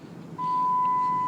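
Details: Truck sounds a steady high beep, like a door-open chime, every time the brake pedal is pressed; started suddenly one morning, cause unclear.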